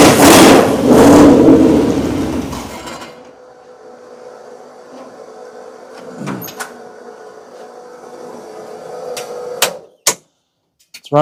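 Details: Oldsmobile Cutlass V8, motor built in 2008, first fire-up in years on the carburetor after a timing bump: loud revving settling into a steady, even idle with no knocks or misses. Sounds healthy, no oil leaks.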